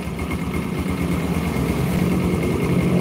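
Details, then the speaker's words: Yamaha Jupiter Burhan motorcycle idling: faint light tick about three a second, slowly louder, suspected connecting rod problem; separate whirring attributed to primary gears; engine ticking at idle. "Kan ada suara tek. Nah, itu suaranya masih cukup kecil, masih belum begitu terdengar dengan jelas. Tapi itu suara gejala setang sehernya bermasalah."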